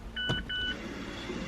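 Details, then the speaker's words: Normal electric parking brake service mode on a 2013-2017 Mazda CX-5: after holding brake pedal and parking brake button and tapping start/stop, two short steady whines as rear brake actuator motors retract; amber P! service indicator lights. "and then you tap it twice more and we hear the brakes went into service mode we hear the The Whining of the motors as they detract"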